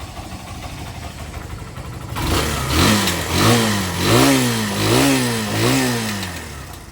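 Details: Barako 175 single-cylinder motorcycle, cold engine, after carb tuning, new float valve seat, valve clearance, decompression adjustment, cleaned tank and air filter: blipped up and back every second and a half, revs climb and drop cleanly; normal running.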